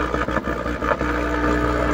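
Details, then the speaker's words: Sakura AV-735 amplifier that powers on with the relay clicking and no DC out: steady low mains hum from both channels due to a bad ground; the hum disappears once a wire to ground is added. "oras na nilagyan natin to ng ground yan nawawala yung ating Ugong ba"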